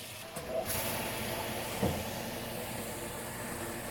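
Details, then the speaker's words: Dishwasher after disassembly and cleaning, spray arm reinstalled, running filled with water during leak test: steady rushing water hiss over low motor hum, no knocking or grinding; no leaks, filling and washing normally. "We're not seeing any leaks. That means that the water's shooting up and staying in the dishwasher. That's huge."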